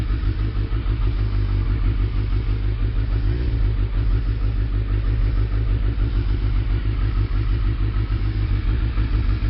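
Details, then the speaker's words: Suzuki Hayabusa cold start after spark plug change, choke pushed in, idling just over 1,000 rpm untouched; low steady exhaust burble with even firing and no misses, engine running healthy and sounding better. "that's basically cold start and I push the and the chokes right in so that's just over a th000 RPM and that's good to go it's good to go"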